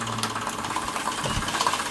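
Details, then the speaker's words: Stirlingkit Retrol SE-02 model steam engine, modified with a gas burner and driving accessories including a street light: a quick, even chuffing beat at roughly ten per second that speeds up when the load is turned off; normal running. "I'll turn it off. You hear the engine speed up straight"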